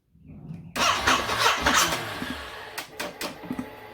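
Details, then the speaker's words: Ducati SuperSport 939, 5 years old with original battery, not flat: starter whirs briefly then quits and coasts down with scattered clicks before the engine fires, an intermittent fault over 3 months; weak battery sagging under cranking, fixed by replacement. "My SuperSport has had a random cranking problem over the last 3 months. The starter motor will start cranking, and then before the engine fires, it'll stop cranking and then just spin down."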